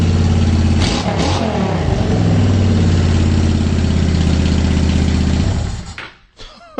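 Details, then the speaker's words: Honda Shadow Phantom V-twin after replacing trashed fuel injectors (16450-MFE-641): strong even idle with a couple of crisp revs, then switched off, no more up-and-down hunting; sounds much better, normal idle and revving. "It sounds so much better. Is this placebo or does it sound better? Guys, I think it sounds better."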